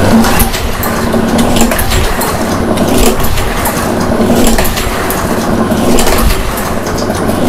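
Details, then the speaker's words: Second mower with fresh gas, good oil and new spark plug: repeated uneven cranking bursts, turning over but never catching; cranks but won't start, something else missing, cause unknown. "no something's else is missing let's check some things"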